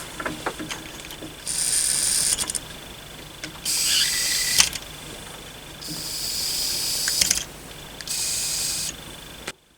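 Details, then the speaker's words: Suzuki GS550 carburettors after cleaning, air blown through the fuel inlet pipe while each of four floats is lifted and released; airy hiss starts and stops cleanly each time, showing the float needle valves seal properly. "when it's in that position the floats should all be closed so if i blow on this there shouldn't be any air flowing through"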